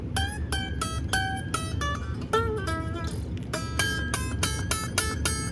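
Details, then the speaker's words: Squier/Fender Jaguar with Mustang bridge, finger-picked: sharp metallic ping as high E string slips out of the bridge saddle groove; fix is neck shim and raising the bridge. "you hear that pinging sound and if you look at it again it is not laying in the groove we gotta fix that"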